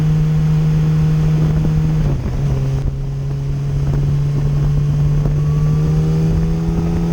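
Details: 2008 Yamaha FZ1 after the ignition coil was swapped to cure stutter, hesitation and a slight misfire below 4,000 rpm: a smooth, steady four-cylinder drone at an even low pitch with no stutter; now running normally.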